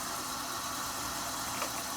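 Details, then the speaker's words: Sears Silvertone STR 1700 4-track reel-to-reel recorder after mechanical service for failing rewind and fast-forward: smooth, steady high whir of tape spooling at full speed, ample torque, no dragging. "but I can check out the fast-forward and we can see that we have more than enough torque now and rewind"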